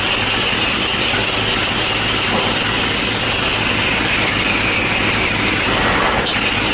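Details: 1957 Harley-Davidson Panhead V-twin, first start after sitting a very long time, rebuilt Linkert carburetor, points set, started with ether: loud ragged lumpy running, no steady idle, smoking a little; rough running after long storage.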